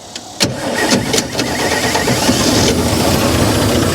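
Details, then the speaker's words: 1955 GMC 350 grain truck; starter whirs, engine catches with a bang and runs ragged and uneven briefly, firing only on fuel poured into carburetor, no fuel supply. "there she is ah well we had her running for a minute"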